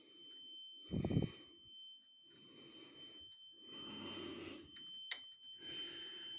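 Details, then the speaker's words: Carbon monoxide alarm sounding at 01:45 as a constant high-pitched tone heard from the back hallway; it was later found to be a small cellphone-sized box on the floor. Thin, steady, unbroken tone under room noise and breathing. "the funny thing is usually that sounds in my head because of the tinnitus and i've learned to adjust it and to just put it aside it's not coming from the tvs or any other source it's coming from the back hallway there anyway"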